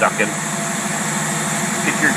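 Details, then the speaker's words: Vacuum leak at the carburetor heat choke connection heard while the carb is tested on a running engine with tight chokes turned off and idle set near 500 rpm: low, slow idle with a steady airy hiss of air being sucked in at the heat choke fitting. "that's the air that you here sucking I don't know how you can hear it when you're inside a car but anyway that's that's the problem of the heat choke if you're you're hooking something to that it could be leaking on the other end"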